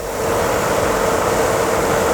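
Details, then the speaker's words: 1994 Renault Espace 2 heater blower motor, tested before reassembly after replacing the heater resistor's thermal fuse; even air rush and steady whine through the speeds with no scraping; all speeds work. "nous replaçons le moto ventilateur ça fait du bruit nous allons faire un test avant de remonter voir si toutes les vies text fonctionne du moto ventilateur"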